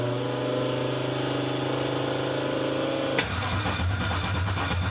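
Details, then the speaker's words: Freshly built 6.2 L LT L86 Gen V V8, BTR cam, AFM delete, Holley Terminator X EFI, E85 flex fuel, first-start attempt: starter cranks evenly but engine never fires; controller reboots on crank, cause not yet known. "oh well nothing changed there and nothing changed there when it's cranking so I'll maybe do some research and figure out what we've got here"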